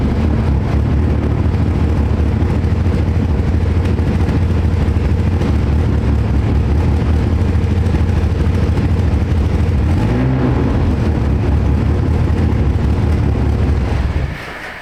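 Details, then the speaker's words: 2015 Nissan Altima 2.5 at idle with check engine light on, codes P0014 and P0300, and a loud blown exhaust: deep, uneven idle lurching about three times a second over the exhaust roar; choppy, stalls often. Misfire, with a stuck exhaust cam timing solenoid suspected. "It's got the chop. You could hear it there running. It's choppy."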